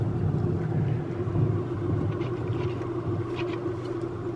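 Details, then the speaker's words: Vintage Baldwin Orga-sonic 54A tube organ, slightly warmed up, built-in Leslie speaker switched on and bass pedals played. Dull, steady low rumble with no clean rotary swirl: the Leslie sounds faulty, cause not found. "Leslie feature doesn't sound good, but we'll live with that for now."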